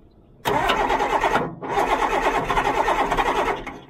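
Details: Cummins 6BT diesel excavator, underwater for three weeks, pressure washed, air filter removed: cranks steadily about a second, stumbles, then catches and runs rough and loud, no ether needed, blowing white smoke; hard start after water submersion.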